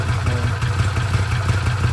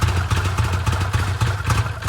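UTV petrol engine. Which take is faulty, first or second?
second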